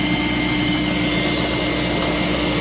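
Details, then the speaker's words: 2004 Land Rover Discovery 2 cold start, heard at engine bay: steady cold idle with constant airy whine from secondary air injection pump, plus heavy-duty Ford Explorer clutch fan noise; normal. "And we can hear it uh you know, but basically normal normal Rover engine sounds. We'll let it go until the SAI pump turns off, and of course uh the engine will slow down a little bit when that happens."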